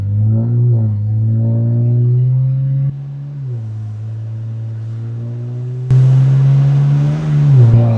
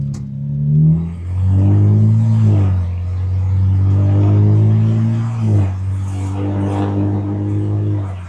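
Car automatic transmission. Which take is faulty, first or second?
first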